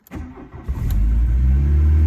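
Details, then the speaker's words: Volkswagen Jetta untouched for two years, starting on choke after several attempts: a few cranking turns, then it catches and settles into a smooth, even idle once the choke is pushed in a bit. Normal cold start. "there we go oh push that choke in a little bit there we go running beautifully that's what we want to hear good stuff"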